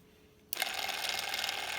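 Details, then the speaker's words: 120 V drain pump motor from a Samsung front-loading washer with an ND no-drain code, wired straight to mains: a thin, hissy, weak, unsteady whir with the motor wobbling and low RPM; the worn pump can't move water. "And you can see and hear that the motor's kind of wobbling and the RPMs are nothing like it should be on a new motor. So, that tells me that the pump isn't working and it's not able to take the load of that water and pump it up and out of the drain."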